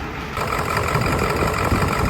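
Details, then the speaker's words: Ford F-350 ambulance, 7.3L HEUI Powerstroke diesel, parked a year for crank/no-start, new fuel filter, started with starting fluid: lumpy, stumbling idle missing on several cylinders; injector driver module codes found, cause unconfirmed. "but 7.3 what do we say is running like a 4.2 it doesn't run good"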